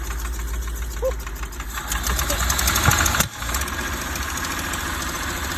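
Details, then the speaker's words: 1977 GMC 6500 truck with 366 big block, cold after about 20 years sitting, smoking from ATF in the cylinders: stumbling and uneven, barely holding idle and nearly dying around three seconds in; rough idle on first start. "see almost idle wow that's insane"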